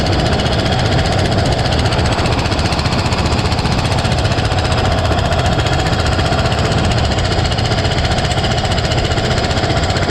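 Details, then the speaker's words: Cub Cadet mower with a single-cylinder big-bore engine running: a harsh, rapid hammering chatter of about three beats a second over the thump, as the cracked block flexes open and closed. The motor is scrap. "I kind of want to start it up so you can actually see the force that's being put on this block, and it's literally separating these two pieces of metal."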